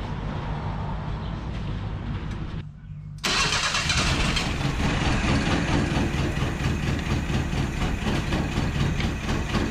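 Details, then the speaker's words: 1977 Datsun 710 from salvage yard, after hooking up the distributor-to-coil ground wire: quiet cranking, pause, then catches and holds a fairly steady, slightly lumpy idle, still needs tuning; normal start and idle. "you don't sound terrible we're gonna tune on it some but we've got her holding a decent idle right now"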